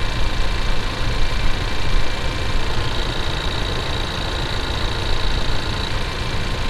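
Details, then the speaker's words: 2019 Ford Ranger idling, heard through a mechanic's stethoscope held to the microphone: muffled fast even ticking over deep rumble from the cam-driven high-pressure fuel pump; normal high-pressure fuel pump ticking. "you can't really hear fuel rail you can actually hear the high pressure fuel pump"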